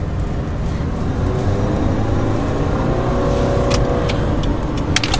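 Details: After replacing a noisy CV axle, during a slow tight parking-lot turn: smooth, even road and engine rumble with no clicking or popping; the new CV joint sounds healthy.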